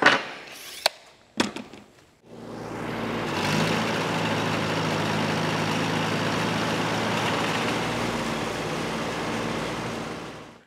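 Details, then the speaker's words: New Holland Super 78 wire-tie baler after replacing slip-clutch friction discs, started at full speed: a few clicks then spins up to a steady, even mechanical churn, catching up in about two seconds with no slipping screech or chatter; acceptable. "so when i kick it on like full speed it takes probably i don't know two seconds or so before this catches up to the same speed as that and i don't think that's too bad"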